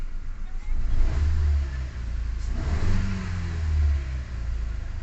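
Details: Ford EcoSport automatic (stalling, codes P0130 and P2192): engine revs up cleanly in two smooth blips and settles back without stumbling or misfire. Problem solved, running normally.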